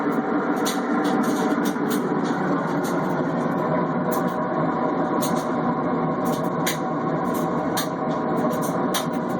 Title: Cabrio washer making loud noise